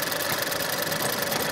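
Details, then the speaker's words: 2017 Ford Escape at idle after a P0304 misfire repair: cylinder 4 ignition coil and all spark plugs replaced, misfire count now zero. A steady fast light top-end ticking over hissy idle remains; cause not diagnosed. "so there's still a ticking sounds for this but we're not G to diagnose that that's a different issue"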